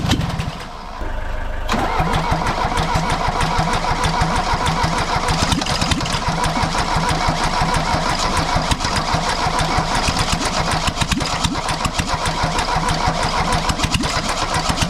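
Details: Mercedes W123 200D diesel, cold, first start after over 25 years standing, after new fuel lines and filters, refurbished injection pump and timing set to 24° BTDC; it cranks briefly, catches within two seconds and settles into an even clatter, a healthy start and idle.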